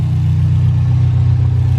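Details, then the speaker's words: Subaru STI that had a P0300 misfire code, after injectors cleaned: deep, steady, even idle with smooth low burble and no stumble or miss; engine now running fine. "i did go get uh the injectors clean and they worked cars running perfectly fine"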